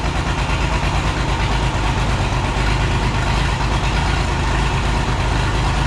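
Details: Oliver 1650 tractor diesel six, first start after sitting about 3 years (fresh battery, fluids checked): heavy, lumpy idle with irregular gaps and lots of smoke, not running on all six cylinders; needs injector work.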